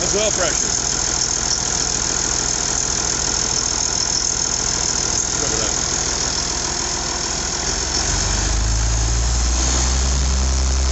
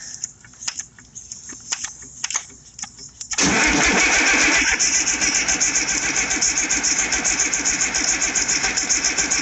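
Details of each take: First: IH 5288 tractor diesel at first start after finishing touches, injector lines bled with fuel to at least four: even idle clatter of about three to four beats a second with a deep drone, better than in years; normal idle. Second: IH 5288 tractor diesel, first start after work: quiet clicks, then steady cranking about four strokes a second that never catches. There is no fuel at the injectors yet because the empty lines still hold air.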